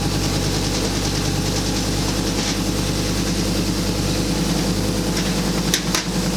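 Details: Ariel Atom replica after fuel tank rebuild: steady low idle with gentle rhythmic pulse from idle valve control, no knocks or misses; runs healthy, idle adjustment maybe needed.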